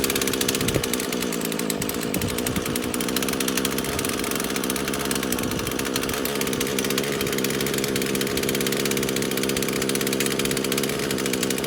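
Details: Craftsman chainsaw first start after about five years sitting in a shed: small two-stroke buzzing at a steady high idle with slight unevenness; not picking up much fuel though primer bulb has fuel, runs only on choke.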